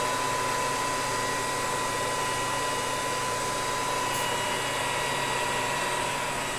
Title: Test run after repair - Inversor Lenze 8400 Stateline C